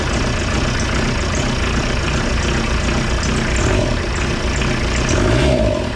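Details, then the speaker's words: Kubota V2403 diesel in a TJ Wrangler, just restarted after removing the injection pump to adjust timing and bleeding the fuel system: steady low rumble with even clatter. Owner thinks it idles lower, no tachometer to confirm. Low idle speed. "okay that has really changed that's a much different sound than what I'm used to uh if I had to guess um make sure it all those are tight it almost sounds like it's idling lower"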